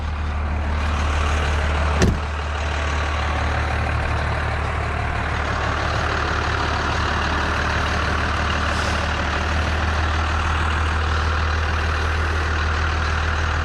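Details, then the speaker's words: 1992 Dodge W250 5-speed 12-valve Cummins diesel, 288,429 km, with muffler and resonator: deep, steady idle with even low rumble, no misses or knocks, one short hiss early; normal healthy first-gen diesel idle. "Like I said, it's got the muffler and the resonator on it, but it still sounds like a first-gen diesel. Those old 12 valves are like tractors. Can't get rid of that sound."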